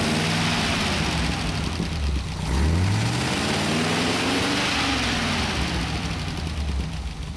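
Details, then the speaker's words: Rebuilt 1931 Horch 480 5-litre straight-eight, still to be run in, idling smoothly after about 5 minutes warm-up, clean rise and fall on a light throttle blip, no vibration, misses or knocks. "now we've warmed it up for about 5 minutes and now it's idling just absolutely gorgeously"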